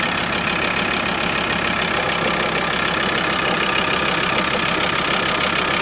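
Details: VW T4 2.5 TDI ACV diesel at idle: a fast, loose rattling tick about three times a second over the idle, disappearing when a little throttle is given; abnormal idle noise, cause unknown.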